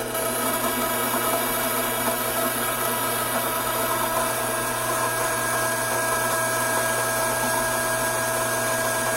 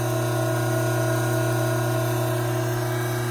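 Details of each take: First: Hydraulic gear pump with inlet restricted: steady whine with harsh gritty hiss as vapour cavities implode on discharge side; cavitation. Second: Hydraulic gear pump running under normal conditions before an inlet restriction: steady, even hum and fixed whine, inlet vacuum 3 inches of mercury, about 310 psi at normal operating temperature.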